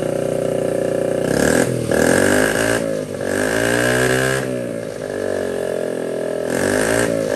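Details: 1979 Honda Z50 with a loose, temporarily fitted SL70-style low exhaust: small single revs up and down in quick blips with a crisp buzzy note, catching cleanly each time; running and responding to throttle normally.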